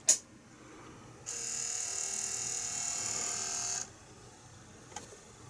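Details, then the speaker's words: 30-year-old Sinclair ZX Spectrum +3 built-in 3-inch disk drive: faint steady high-pitched whir runs evenly a couple of seconds then stops cleanly; drive motor spinning normally. "the disk drive doesn't ooh power down then now to me sounds like the motor the motors going round"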